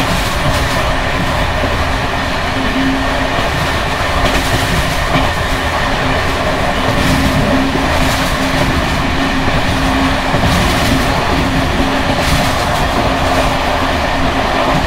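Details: Bd264 481 coach (built 1979), Görlitz V bogies many kilometres since last major maintenance, evening express at speed on uneven line 190 near Hluboká nad Vltavou–Číčenice, heard from compartment or open window: steady rumble, rail-joint clicks, loose metallic clatter from bouncing worn brake rigging.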